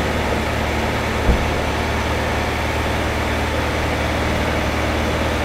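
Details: 2009 Chevy HHR 2.2L Ecotec flex-fuel, after fixing incorrect alcohol-content reading (P0172, P0300, long crank): steady, even hum held at higher rpm, no misses, knocks or hunting; trim about -1; normal running.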